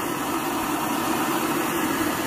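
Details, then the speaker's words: Vintage Rogers Akron Ohio M1950 military roaring stove, relit: loud, steady, even roar with no sputtering or pulsing; the pressurized gasoline burner runs strong and normal with a blue flame. "man that's some roaring going on there mil-spec and the uh you know 1950 roaring lantern and aurora roaring stove"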